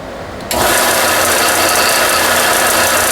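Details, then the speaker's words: Harbor Freight belt sander after repair, covers still off, very dirty bearing cleaned: motor spins up quickly to a steady, even rasp of belt on the platen with no knock or rattle; sounds better than before. "it actually sounds better than before doesn't it yeah"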